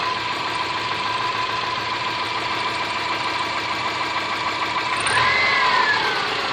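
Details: Subaru Forester SG5 with EJ25 engine: steady idle with a light, regular tapping roughly three times a second over the engine hum; knock of unknown origin.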